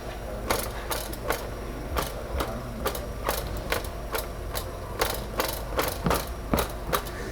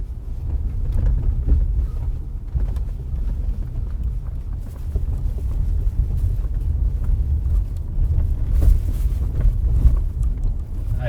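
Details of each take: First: 2018 Honda Accord 2.0 turbo with a suspension-area noise: irregular hard clattering bursts, like gravel rattling in a box, as the loose underbody protective cover is shaken; the cover seems to be full of stones. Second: 2018 Honda Accord 2.0 turbo, recorded from inside while driving after repair. Steady low road rumble with only faint trim and seat creaks; the underbody rattle from loose pebbles in the lower drivetrain protection panels is gone.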